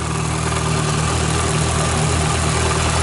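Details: MINI race car petrol engine idles steadily with an even low hum and no knocks or misses after being jump-started from a dead battery using a Microstart XP-10 pocket jump starter with boost button.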